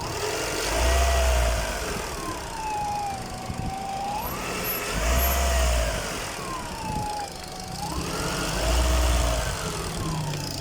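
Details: Peugeot 206 1.6 petrol, which also has noisy hydraulic tappets: clear howling whine rising and falling with each rev blip above the idle; cause unknown, shop fixed it quickly without saying what it was.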